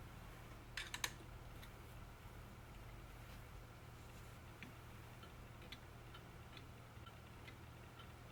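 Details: Eighteenth-century three-train fusee spring clock, after repair, cleaning, Moebius D3/D5 oiling, mainspring grease and new gut fusee lines, on test: quiet, even ticking at a steady beat over faint room hum; running healthily.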